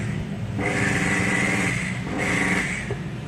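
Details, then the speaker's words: Makita HR2230 rotary hammer, rarely used, weak with no power when drilling. Two short bursts with a rough, growling hum and a sluggish, slow low-pitched whir. Weak armature suspected, not confirmed. "Nah suaranya seperti itu ngorok dan putarannya lambat"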